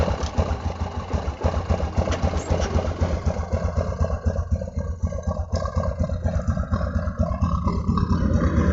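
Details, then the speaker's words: Honda Supra X125 brought in for rough engine noise, oil level fine and recently changed, started to check oil pump: settles into fast, fairly even idle with steady beat, no clatter; engine smooth, normal idle. "oke suara mesinnya sip sip sip Coba saya tutup untuk bagian knalpot Yamaha hai oke hampir tidak ada suara sama sekali untuk bagian mesinnya ya"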